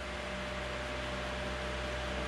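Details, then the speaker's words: Cooling fan's AC induction motor running on a consumer CyberPower UPS's stepped-sine battery output: steady low hum and buzz over the airflow as the fan slows; the hum stops and speed returns once wall power is restored. "plug it back in again notice that humming died almost instantly and the fan picked up so AC induction motors of which this is one they like true sign way power"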